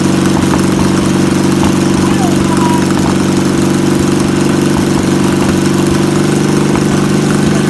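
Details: Old air-cooled VW pressed-bumper-panel bus engine, revived after sitting over 50 years, with its fuel pump suspected bad; loud, steady, even throaty rumble at one speed, running smoothly.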